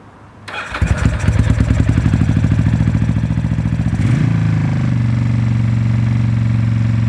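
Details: Old Ducati after swapped, reversed wiring was corrected, running off a temporary go-kart tank: quick cranking chatter, then it fires and settles into a steady, even idle within seconds; starts and runs properly.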